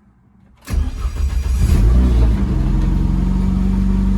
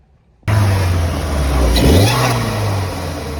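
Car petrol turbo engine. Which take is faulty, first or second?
second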